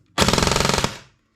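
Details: Airsoft gun with a Perun V2/V3 hybrid MOSFET on full auto: crisp, even rattle of about 26 shots a second that cuts off cleanly; the gearbox cycles properly.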